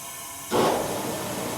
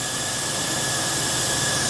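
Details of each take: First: 1979 GMC Sierra, likely V8, abandoned 25 years under a tree, leak-down test: sharp steady hiss of air coming out the intake though the intake valve should be closed; something may be holding it open; air leaking past intake valve. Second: 1979 GMC Sierra, abandoned 25 years, after timing knocked back from too advanced: crank catches at about three seconds and settles into steady, even idle; clean, healthy start.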